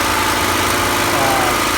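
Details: Champion generator, a Honda-clone small engine, on its first run after the carburetor was replaced with an aftermarket unit: smooth, even drone at constant speed with no surging, hunting or misfire. A steady, healthy idle.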